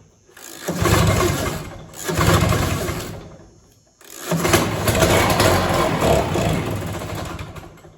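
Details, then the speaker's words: 1967 Ski-Doo Alpine twin-track snowmobile, sat many years, run on its own fuel line: two-stroke catches in short uneven bursts, dying and refiring, never steady. "We saw the sled run yesterday, but it was flooding extremely bad. I'm pretty sure we have debris in the needle and seat."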